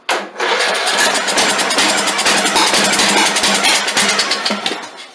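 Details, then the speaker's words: Craftsman LT2000 lawn tractor, unused for years: about five seconds of steady, fast starter churn with no catch; won't fire because the governor, throttle shaft and throttle plate are seized shut. "It's been probably years since this thing's cranked. Come on. Oh yeah, something's wrong with that governor right there. Well, that governor is froze completely."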